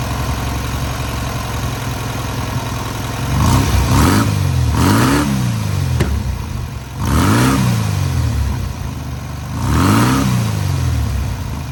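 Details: Newly rebuilt air-cooled VW 1600cc flat-four on its first start and break-in: steady low idle with three even rev blips rising and falling cleanly, no knocks or rattles; normal running.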